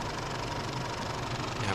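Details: Isuzu D-Max 4JK1 2007 diesel after replacing and retensioning the A/C compressor belt (pulley bearing already replaced): even, steady idle with smooth low rumble; the bearing-like squeak is gone, sounds healthy.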